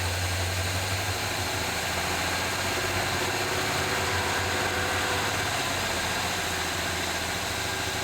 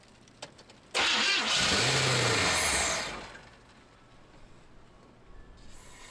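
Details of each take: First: 1978 Chevy C10 square body V8 running at idle on 4-5 gallons of fresh gas after finally starting; steady, even low rumble, no knocks or misses. Smoke under the hood, likely leaked transmission fluid burning off; oil pressure gauge not moving. Normal idle. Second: 1978 Chevy C10 square body after adding 4 or 5 gallons of fresh gas: about two seconds of loud starter cranking that stops with no catch; cranks but won't fire, cause not confirmed.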